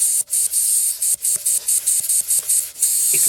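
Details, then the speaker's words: Grant boiler losing pressure, pressure vessel held about 1 bar for 10 minutes: pressing the schrader air valve gives a steady sharp hiss with brief gaps as it lets by; a leaking schrader valve, with debris found inside. "letting by. So that's not very good. So I'd say that's exactly where our problem is."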